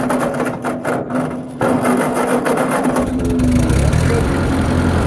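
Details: Tractor cold start on choke, in neutral with a little throttle: starter churns briefly, then the engine catches and settles into a steady, even run; a normal cold start.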